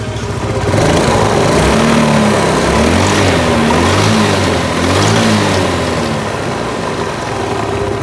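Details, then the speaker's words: Yamaha Mio scooter CVT cover area: harsh rattling roar from the belt drive rising and falling with revs, caused by worn roller weights and mainly a loose rear pulley; replacement of the rear pulley advised. "itu suara mesin yang kasar itu disebabkan oleh ruler yang udah kemakan dan yang paling berpengaruh pada suara kasar itu adalah puli belakang ya teman puli belakang itu oblak sehingga mengakibatkan bunyinya itu kasar"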